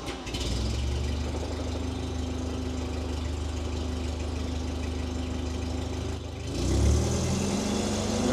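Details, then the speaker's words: Terex carry deck crane on a newly installed servo remote control: a steady low engine rumble that climbs smoothly when throttled remotely near the end, even and responsive; engine and remote throttle working normally. "little [Music] touchy hey that's what it's supposed to do nailed it"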